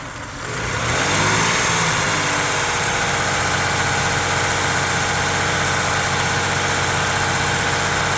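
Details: Toyota 3.4 5VZ-FE V6 idling after head gasket replacement and machine-shop head rebuild, with earlier seized valves, injectors and fuel pump: uneven, stumbling beat, the steady lope of a misfire.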